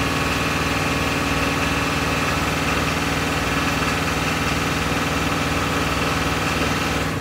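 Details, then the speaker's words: 7.3 diesel truck at high rpm, harness already replaced: rough, uneven beat with an occasional skip and intermittent knock or clank. Misfire and knock at high rpm; cause unknown, owner asking for help before changing more parts. "at higher rpm it will give me a skip and it will not give me a knock and then spit right back up and then give me a knock and then back off"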